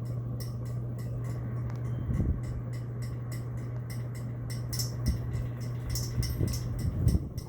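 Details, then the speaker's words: 52-inch CEC Hugger ceiling fan on high speed; the pull chain rattles on the glass globe. A steady low motor hum with quick, tinny chattering ticks several times a second; glass globe rattle. "And the globe's rattling too, oh my god. god, it's so annoying."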